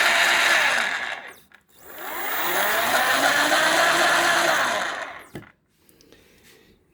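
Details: CY Gold 48V 500W BLDC mid-drive motor (about 4000 rpm) with reduction gearbox (260 rpm output), run dry without oil: rough, grating gear whine rising on spin-up, falling on wind-down; said to go away once oil is added.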